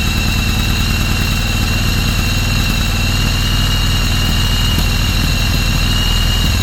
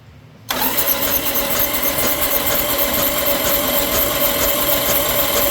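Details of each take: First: 1995 Yamaha Virago 1100 first start after about 12 years sitting, carbs cleaned: deep, steady V-twin throb, even beat, no misses, settling into a healthy idle. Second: 1995 Yamaha Virago 1100, sat about 12 years, carbs cleaned, good spark: starter spins the engine steadily at a brisk cranking beat but it never fires; cranks but won't start, tank to be pulled next.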